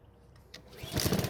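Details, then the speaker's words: Honda lawnmower that starts but runs poorly with little power, test-run with the dirty air filter removed; hard to start, no more black smoke, but it surges unevenly with a lumpy beat and still runs rough. Fuel condition not yet checked. "So it was still difficult to start, but once it did, it didn't blow any black smoke out of the muffler, so it looks like we took care of that issue for the most part. However, it's still running a bit rough."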